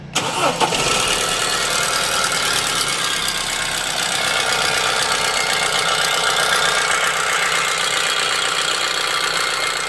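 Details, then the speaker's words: 2006 Audi A4 B7 2.0T FSI starting and idling with a loud, tractor-like clattering rattle that appeared after an aborted timing belt job; timing, cam positions and oil level were verified, with no codes or misfires, and the cause is unknown. "I don't know why it's making these sounds let's have a look"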